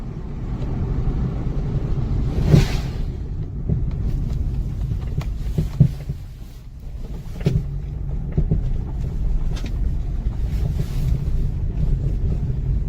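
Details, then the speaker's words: 2004 Acura RSX, about 60,000 km, D2 coilovers fitted about six months earlier, driving over bumps: sharp irregular bangs, louder on the passenger side, over road rumble; failed coilovers, noise began two months after purchase. "a very horrible banging noise more from passenger sides horrible noise"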